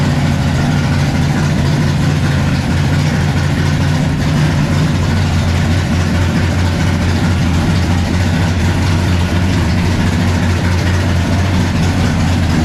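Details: 1957 Chevy pickup big-block V8 at first fire-up with the new exhaust (Black Widow mufflers, 3-inch mandrel-bent pipe): deep, loud, even burble holding steady with no misses or knocks, a clean idle.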